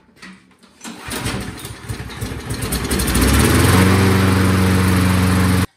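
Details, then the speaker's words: Husqvarna lawnmower with a new carburetor replacing a seized one, no air filter fitted, starting fluid used; a few rough pulls and sputters, then holds a steady, even run, starting normally. "But we're just going to put the new carburetor on and it should start right up."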